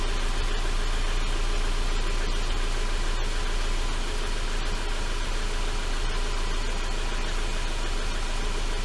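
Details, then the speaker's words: 2011 Subaru Impreza, EJ253 non-AVLS block with AVLS heads, first start after rod bearing failure repair: steady low idle with faint irregular metallic ticks, loose front exhaust heat shield rattling after being jarred. "a little bit of an exhaust Shield rattle from jarring it around"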